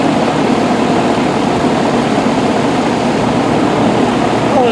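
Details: Rheem Classic 4-ton central air condenser from 2002–2003 with Copeland scroll compressor, first 2022 startup on a hot day, house 78°F; smooth steady fan air rush over quiet compressor hum, no rattles or squeals; normal running, about 49–50°F at vent.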